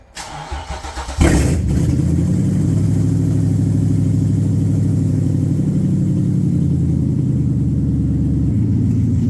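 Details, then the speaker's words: Original VQ35DE in the G35 coupe, before its VK56 swap, with its 2.25-inch piping and catalytic converters removed (primary cats still fitted): short crank, then a loud, deep, rumbling idle that holds steady; sounds far better with open exhaust. "Sounds a million times better. Wish I get those primary cats out of there."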